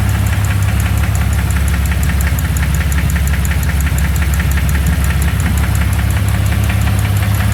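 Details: 2001 Jeep Cherokee 4.0 at idle, flexplate new: heavy, regular knock just under two per second on a loud, deep idle, seemingly bottom end; cause unclear.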